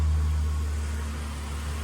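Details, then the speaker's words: 2000 Ford AU Falcon, sat over 5 years, at idle after fitting a new exhaust and fresh oil: low, even burble with no raspy blowing or rattling; exhaust sounds sealed, normal exhaust note. "See how she sounds with the new exhaust, or doesn't sound. Doesn't sound like a bag of farts anymore."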